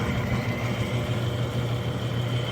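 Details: Freshly rebuilt Clipper Super 47B grain cleaner, unloaded, no screens: motor and fan drone at an even low hum with faint steady whir, no growling or irregular noises; normal running.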